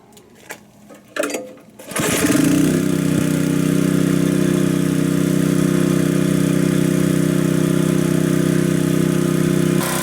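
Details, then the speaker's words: Honda HS622 snow blower with a 6hp Honda GCAAK engine, which would not run before, started after a carb clean, oil change (600ml 5w30) and fresh fuel: starter pull, then it catches and settles into a steady, smooth idle. "Sounds pretty good to me. This thing works awesome, guys."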